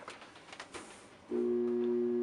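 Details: Hotpoint HTDX100EM2WW electric dryer: pressing start gives only a steady buzz, motor hums without spinning; starts and heats if drum is spun by hand.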